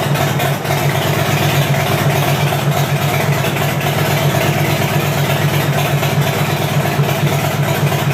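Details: 2010 Harley-Davidson Fat Bob: starter churns steadily with uneven compression pulses, about three a second, but the engine never fires; crank no start, cause not identified.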